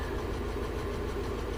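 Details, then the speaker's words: UAZ Patriot ZMZ-409 engine, warm idle: no noise cold, light quick ticking evenly over the engine once warmed up; hydraulic lifter tick, most likely faulty hydraulic lifters, cylinder head to be opened for replacement. "на холодную звука никакого нет стука короче щёлканье на прогретой машине прекрасно сейчас [музыка] слы стучат скорее всего гидрокомпенсаторы придётся бошку"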